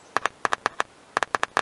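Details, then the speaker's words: 1998 Ford Contour door speaker, removed and disconnected, tested with 9-volt battery on terminals: sharp paired pops as cone moves, speaker works; fault suspected in wiring short instead. "that that means it's not the speaker"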